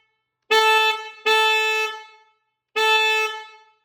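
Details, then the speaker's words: BMW R18 motorcycle after fitting the new BMW horn (61 33 8 381 271, torqued to 19 Nm): three short blasts with a full, rich, steady tone and clean start and stop; the proper, much richer horn sound. "Much better, much richer, and that's the proper sound for the R18."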